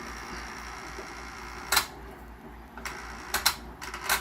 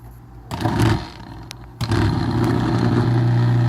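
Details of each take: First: Maytag Neptune MAH4000AWW washer with the water off: after some clatter, the pump kicks on with a strained, steady droning hum. Both the drain and recirculation pumps are noisy; the second pump is seized. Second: Maytag Neptune MAH4000AWW washer drain pump (120 V AC, 40 W) after servicing for a terrible noise, bench-tested on direct mains power: steady low hum with no scraping or rattle, running smoothly and quietly.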